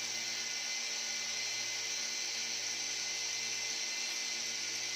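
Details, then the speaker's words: E88 Pro toy drone motor that will not start, owner suspects it burned; thin steady high-pitched buzz with no spin-up, motor vibrating in place, declared broken, with one part of the drone warm to the touch. "Ini bergetar, teman-teman. Tidak mungkin, teman-teman. Ya, memang benar-benar tidak mau menyala, teman-teman."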